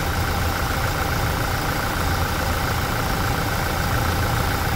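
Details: Toyota Hilux after automatic transmission oil change: steady, even idle hum with no squeak or rubbing left; the noise at the deflector/seal was cured by lubrication, not by the gearbox oil.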